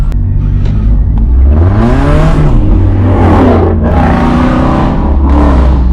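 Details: 2016 Dodge Charger after whole driveshaft replacement (failed carrier bearing): loud, deep exhaust roar rising and falling cleanly with each throttle blip, no clunks or rattles; healthy exhaust note while revving.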